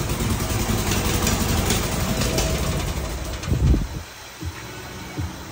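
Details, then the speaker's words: Fiat 126p being revived, valves adjusted, running on two cylinders: uneven, lumpy low idle with irregular misfiring pulses that stumble and fade. Rough running; a blown head gasket is suspected. "Siedławi jak gazu mu dodaje. To może rzeczywiście uszczelka walnięta, o."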